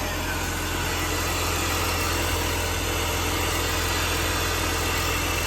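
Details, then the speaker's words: BMW E46 idling after a Vanos rebuild with new seals and an added aftermarket intake filter: a steady, even idle with a low hum and a rushing intake hiss; no misses or knocks, runs smoothly. "everything under the hood looks good um intake sounds good I'm gonna take it for a drive now and see if it performs any better"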